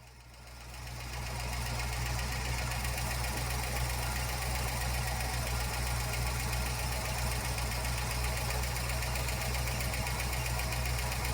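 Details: 1956 Ford F-250 flatbed after ignition tune-up, valve cover off checking oiling: steady idle with a light regular tick about four per second; suspected valvetrain tick, possibly loose valve lash, not confirmed.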